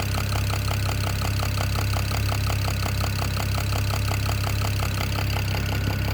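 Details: BMW E92 335i N54 engine at idle: sharp, rapid, steady ticking over a deep even hum; owner suspects a top-end knock, source not confirmed.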